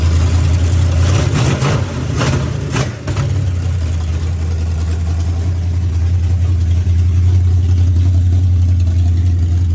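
Engine stumbles and flattens as it's blipped early on, then settles into a low lumpy idle; carb hesitating from a vacuum leak.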